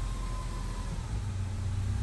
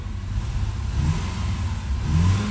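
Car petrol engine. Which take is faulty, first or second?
second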